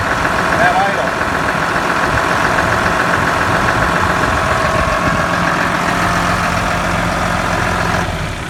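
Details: Cat D5G dozer with a charging problem that caused limp mode, shutdown and low battery voltage, after tightening the alternator belt: steady, even diesel idle with smooth low drone and no belt squeal or chirp; charging fixed.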